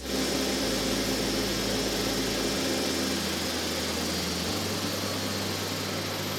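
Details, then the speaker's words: CFM LEAP-1B turbofan on a Boeing 737 at engine shutdown on the ground: steady pressurized-air rush over a low hum as it winds down, caused by opening variable stator vanes (VSVs) and closing variable bleed valves (VBVs); normal, engine serviceable. "This noise is due to the opening of the variable stator vanes, also called VSVs, and the closure of the variable bleed valves, known as VBVs. This noise is normal. The engine is serviceable."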